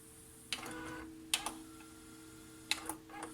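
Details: Tascam Portastudio 488 MkII cassette recorder after replacing gear C, which had caused flashing shuttle LEDs: capstan motor spins continuously, steady motor hum with crisp clicks as transport engages, LEDs no longer flash; normal tape transport operation.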